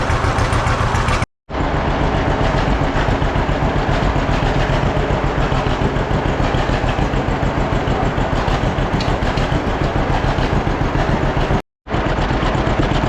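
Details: Old John Deere B two-cylinder tractor just started after carburetor float check: steady slow chugging about 200 beats a minute, slightly uneven; idle a little rough, owner wants it evened out.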